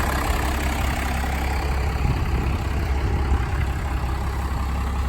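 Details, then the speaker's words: 1993 Dodge Ram 350 ramp truck, 12v Cummins diesel, 5-speed manual, after battery charging and bleeding the injectors: deep steady rumble with even beat, no misses or knocks; healthy idle. "Oh guys, she's running. She started up after I got her hooked up to the charger and used the engine boost. And actually started up pretty quickly after I bled all the injectors on the side there. Looks like it's running pretty good."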